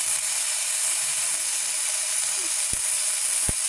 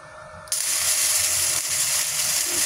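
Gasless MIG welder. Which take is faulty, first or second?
second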